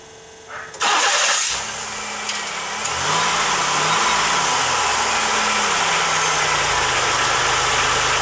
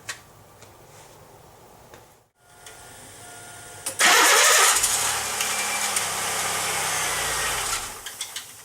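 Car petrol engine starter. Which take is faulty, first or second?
second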